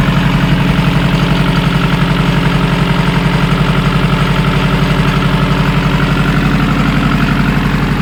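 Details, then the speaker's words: Nissan Pulsar GTiR SR20DET four-cylinder after fuel filter change, before checking ignition timing: starts first time and settles into an even, steady idle pulsing about four times a second with no miss or stumble; sounds better, normal idle. "Starts first time. Look at it. That's so good. I love it when a plan comes together. I think that sounds better."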